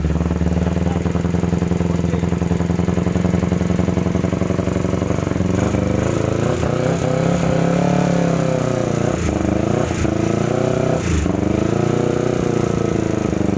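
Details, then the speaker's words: 2009 Kawasaki Ninja 250, brought in not starting: rough running with fast metallic ticking as revs rise and fall; loose cam chain and worn crankshaft bearing, crankshaft defective on left side and replaced. "Oke teman-teman jadi motornya tadi sempat hidupkan ternyata bunyinya lumayan kasar ngelitik di bagian recsel"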